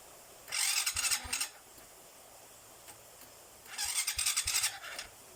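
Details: Two short cranking bursts with harsh, rattly high-pitched whirr, engine not catching; noisy starter, owner plans to apply grease, cause not confirmed.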